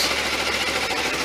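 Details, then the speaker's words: Suzuki V-Strom 250 single idling to warm the oil before an oil and filter change, a day after a valve adjustment: fast, even pattering idle with no misses or stumbles. Normal idle. "And I'll just run that for a minute or two just to get some movement on the oil, some"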